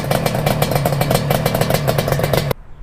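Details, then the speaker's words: Yamaha RD350 two-stroke cafe racer after a full rebuild, including the top end, with about 9 miles since restoration, started and idling: crisp, even popping at roughly ten pulses a second with no knocks or misses, then a clean shutdown. Healthy idle. "She's bad. She sounds good. She runs good. She stops good. She starts"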